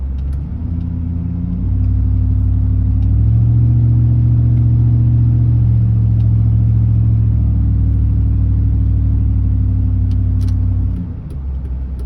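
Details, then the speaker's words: Chevy truck 4L60E automatic with stuck servo and bent snap-ring, driven after whacking servo; low drone stepping in pitch with mushy, drawn-out shifts — 1-2 slightly better, 2-3 and 3-4 seem burnt up; fluid good despite leak; suspected slipping upshifts. "i want to say the one two shifts are a little bit better actually three fours seem burnt up but or the two three seem burnt up in that three four there's one more"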